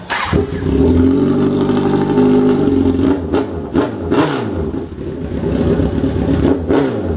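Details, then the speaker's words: Motorcycle with a 2006 tire build date, estimated under 10,000 miles, needing a starter cover: engine catches at once and revs up and down cleanly and evenly with no knocks, misses or smoke. It runs healthy. "does run extremely good doesn't smoke or anything like that"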